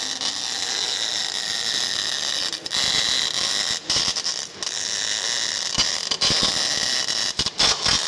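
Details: Normal MIG (CO2) welding in the 6G position on an inverter machine with a wire feed unit. ER70S6 wire of 1.2 mm at 20.2 V and 145 A, with heated CO2 gas at 15 LPM. Steady, bright frying crackle with short breaks as the torch moves; a healthy arc.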